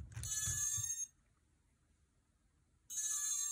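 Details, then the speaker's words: MicoAir H743 AIO flight controller with built-in ESC, ArduPilot DShot setup, 3800KV motors, after changing motor direction: two bright beep bursts. The ESC needs a full power cycle, removing the battery and USB. "자 요런 식으로 소리가 날 수 있는데 요거 변속기에 전원을 한번 완전히 다시인가를 하셔야 되거든요"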